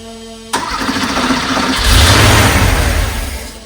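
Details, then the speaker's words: 1982 Porsche 911SC Slantnose, sat 20+ years, started on a jumper pack after a CIS tune-up (cleaned fuel distributor, new plugs, fuel filter): brief cranking, catches cleanly and rises to a smooth, even idle with a quick rev; a healthy start. "Oh, come on. That sounds good. Man, that sounds good. Yo, this thing sounds so good."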